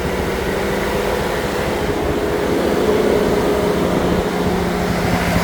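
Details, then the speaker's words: 2015 Chevrolet Silverado, customer says running poorly, just started: loud steady rush of cooling fans over idle; truck also has misfires, O2 sensor codes and erratic gauge cluster. "All right, customer states that this truck is not running right, but listen to the fans. I just started this truck."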